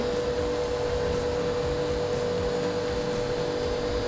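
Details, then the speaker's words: Kodenki KDK-8120V jet cleaner priming, drawing water from a bucket, taking 28 seconds versus expected 15: steady hum at one pitch around 500 Hz, no surging, motor sounds laboured; owner suspects the machine is not healthy, cause unclear. "Ayo berat di sini nih lebih lama mesinnya mungkin enggak sehat. Ayo 28 detik kayaknya enggak sehat nih."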